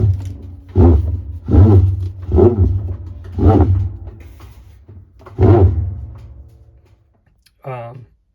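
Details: Kenmore Series 500 top-load washer: low motor hum broken by rough groaning grinds about once a second, drum no longer spinning; motor pulley, transmission and splutch kit replaced without fixing it; cause was stripped drive hub teeth.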